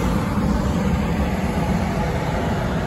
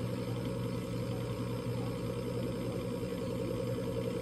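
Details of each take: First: Coleman Presidential DG807BDTA mobile home furnace after pressure switch replacement: burner on, then blower comes on with even, steady air rush over low hum, no rattles, squeals or surging; furnace running normally. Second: Coleman Presidential DG807BDTA mobile-home furnace: draft inducer motor drones steadily with no pressure switch click; three-flash code means the combustion air switch failed to close, so the pressure switch is suspected bad.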